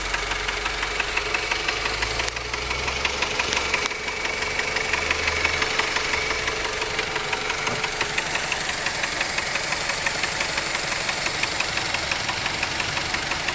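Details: Mazda 6 1.8 engine at steady idle with a sharp, even tapping of about three per second; engine knock, cause not pinned down.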